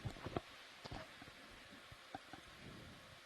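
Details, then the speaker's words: ROV thrusters cavitating while running near the surface during descent: scattered sharp pops and crackles over a quiet hiss. "you can hear them you can hear them our RV Threshers are starting to cavitate"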